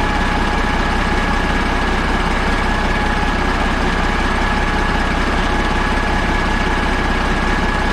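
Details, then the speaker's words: Caterpillar 3406A diesel with temporary fuel buckets and extra batteries, last run before truck install: deep, steady idle with an even clatter, no misses, knocks or rattles; healthy. "i just love the sound of these things i could listen to it all day i'd rather have this in here than a radio so that's pretty cool"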